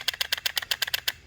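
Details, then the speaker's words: 2014 Chevy Malibu 2.5 Ecotec with code P0011, intake cam solenoid bench-tested by tapping power: crisp, sharp clicks about eight per second, each answered cleanly with no misses; normal solenoid clicking. "So this should make a contact. So this works out great."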